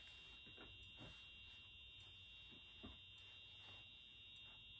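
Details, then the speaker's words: Very quiet piezo horn on an EH-24S device: a thin, steady high-pitched tone barely above room noise; the strobe works but the sound is far too weak, the owner suspecting a capacitor in the piezo amplification circuit. "that's very interesting actually so as you can hear it's trying to make noise well it is actually it's just very very quiet and the stroke does work so that's good"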